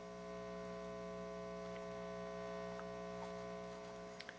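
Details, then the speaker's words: Restored organ tube amplifier run through an isolation transformer: a constant low 60 Hz buzzing hum with steady overtones, much louder than on the other amp and worse as volume rises. Excessive mains hum, source not yet traced. "wouldn't expect that make a difference so this one amp has a lot more noise significantly more that's too much that is too much no one wants to listen to that"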